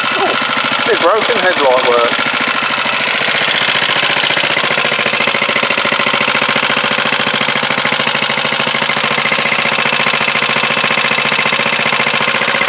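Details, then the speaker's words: Huoniao HN125 single-cylinder, freshly installed engine, first start: fast, light ticking runs evenly through the whole idle. Valve tappet rattle at idle; the owner thought the tappets were done, but they need doing. "done them tappets but thank you well obviously tappets need doing"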